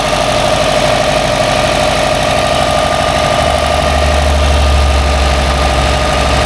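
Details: Subaru Baja rescue project after new coils and plugs, first start in neutral: steady, even idle with low smooth pulse and no misses or stumbles; smoking heavily.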